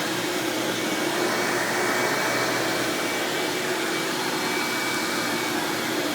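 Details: 1997 Hoover Dirt Finder Power Drive U6331-930 self-propelled upright vacuum running in floor mode: steady, even motor whoosh, no rattles, squeal or belt slap; exceptionally smooth and surprisingly quiet for an Elite, normal running.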